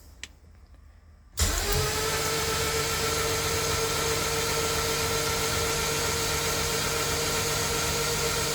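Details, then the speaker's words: Rebuilt K24 engine just installed in a Honda CRX, cranking with injectors unplugged, likely before spark plugs went in: a smooth, even free-spinning whir with no knocking, which is normal cranking. "good news is the engine sounds very consistent guys I hope you guys heard that there's like no noise at all it just sounds like a free spinning engine no no type of knocking or noise coming from inside"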